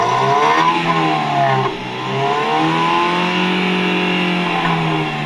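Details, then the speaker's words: 2007 Toyota Corolla XLi after black smoke repair, revved by a helper; pitch rises and falls smoothly with no stumble or misfire sound; engine revving normally. "अभी जो है ना मिसिंग का साउंड भी नहीं है, मिसिंग का साउंड अभी बिल्कुल नहीं है अल्हम्दुलिल्लाह।"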